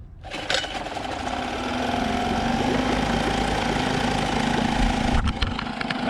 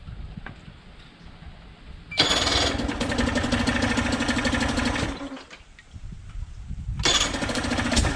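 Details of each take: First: Outboard after carb jets cleaned and air mixture screw drilled and set: after a blip settles into steady, even low putter about four beats a second, no hunting or surging; normal idle. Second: 1999 Nissan/Tohatsu 5 hp single-cylinder four-stroke outboard, ex-saltwater, sat a couple of years, not pumping water: catches, runs ragged and uneven about three seconds, dies, restarts rough; broken head gasket, needs a new head.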